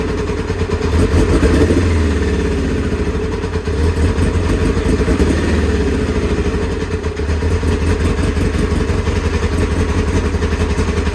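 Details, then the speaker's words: Kawasaki ZX-9R outdoors 4+ years, first start after easy start spray into air vents; loud four-cylinder lumpy idle with throttle blips, runs on its own, normal running and revving; a fuel leak found afterwards. "got it started alhamdulillah it's really loud in the back Garden neighbors are getting worried"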